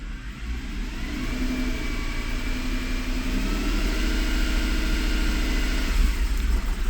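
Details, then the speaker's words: Mercedes E63 AMG in park revved to about 1500 rpm, nearly two-year problem: uneven, stumbling beat as revs rise; misfires mostly bank one, cylinders one to three codes, then limp mode; cause not found. "Rev it up to 1500ish RPMs. We'll start seeing misfires climbing mostly on bank one, but lately I've been kind of seeing them everywhere."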